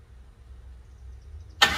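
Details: Ford Model A LS V8 swap, first start after correcting a backwards-flipped coil pack harness that caused a backfire: brief starter rumble, then engine abruptly catches with a loud roar; fires but runs only while key held in start, won't idle.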